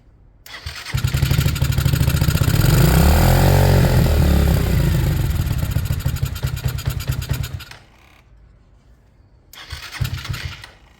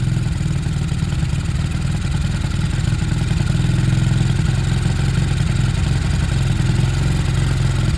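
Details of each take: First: Sinnis Harrier with a Hanway carb conversion on a temporary setup, choke off: the owner suspects he set the idle too high. The engine fires and revs high, settles, dies, then briefly catches again and fades, giving reluctant, unstable hard starting. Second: Sinnis Harrier after a Hanway carb conversion, choke off, on a temporary fuel setup that is running out of fuel. A steady low putter at idle with a slightly uneven beat but no misses or knocks; the little single settles and runs cleanly at a nice idle.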